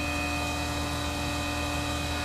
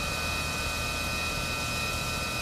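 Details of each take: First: Tormach 1100MX CNC mill face-milling a finishing pass after tramming a Shars CNC vise: steady high spindle whine with a light even cutter hiss, no chatter; normal cut. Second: Tormach 1100MX face milling the jaws of a Shars CNC vise at 3500 RPM: constant high cutting whine with rough, uneven rasp as the mill digs in; jaw misalignment needing tramming.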